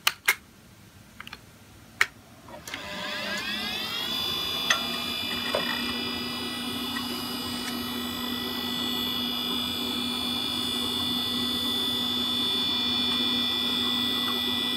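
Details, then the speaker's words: Tray-loading blueberry iMac G3 powering on after its CPU was swapped for a PowerPC G4 (7400), possibly running at only 233 MHz. Clicks, then a steady high whine spins up with irregular disk-read ticking; the hard drive is booting normally. "it sounds like it's accessing the hard-disk and yes it is it is definitely hooting yep you can definitely hear it booting right now"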